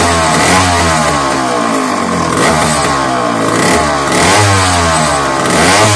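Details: McCulloch 1-52 two-stroke chainsaw running after a hard start: it revs up and down with a crackly, uneven buzz and fills the room with heavy smoke. The cause is not known.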